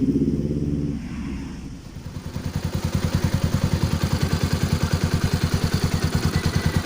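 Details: Kawasaki Rouser NS200 after tappet noise repair with new intake and exhaust rocker arms and timing chain; even steady beat about 200 pulses a minute with no ticking; normal idle.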